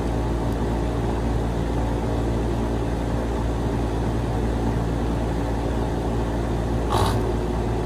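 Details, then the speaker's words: Carrier HVAC compressor that would not start despite ohming out OK, a checked capacitor and an added hard start kit: steady low hum with no pickup, then a single click, as the compressor stalls; suspected mechanically seized. "Y'all hear that? I think this compressor is shot."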